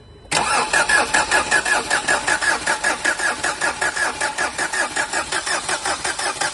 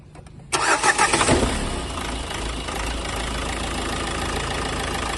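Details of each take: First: Renault Duster 110 PS diesel before repair, misfiring from faulty injectors 1 and 2: long steady cranking at about 2.5 beats per second that never catches; hard starting. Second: Renault Duster 110 PS diesel after replacing faulty injectors 1 and 2 and clearing DTCs: short crank, fires quickly into an even idle with no misfire; now running cleanly.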